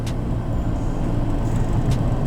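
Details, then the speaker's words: VW Golf 3 at 80+ km/h, loudest when steering gently right: steady low humming drone, not knocking; persists after replacing the whole driveshaft and joints, cause unknown. "od razu mówię to nie jest takie typowe stukanie tylko takie bardziej był uczenie się bardziej rozpędza się do 80 plus i delikatnie zaczynamy i skręcamy w prawo kierownicą wtedy to najbardziej to jest słyszalne"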